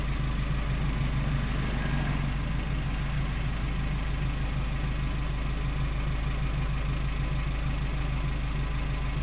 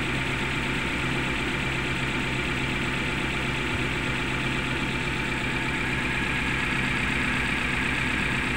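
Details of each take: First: Suzuki Carry Futura pickup after repair, sound at tailpipe at idle: smooth even low rumble at steady speed, no stumbling or shaking; combustion now normal and throttle response immediate. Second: Suzuki Carry Futura pickup, engine idling rough and shaking, limping, sputtering and powerless on throttle; lumpy idle stumbling about twice a second, as if one ignition cylinder not firing; coil, plug or injector suspected; cylinder no. 3 spark checked; misfire.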